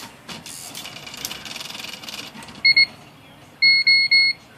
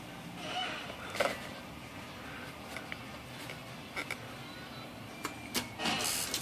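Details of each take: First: IBM Wheelwriter 10 typewriter at power-on, with corroded memory backup batteries: two quick beeps then three longer high beeps and flashing lights, the code for bad batteries, which only affect margin, tab and storage memory. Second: IBM Wheelwriter 10 typewriter after the corroded memory batteries were replaced: after switching on, two short high beeps sound about a second apart in a quiet room. This is the correct, healthy start-up signal.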